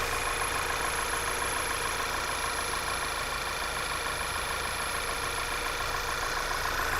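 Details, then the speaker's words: Car idling evenly: a thin, steady high-pitched squeal sits over the idle and never changes pitch; the source has not been found yet. "what happened there you hear that high-pitched squeal"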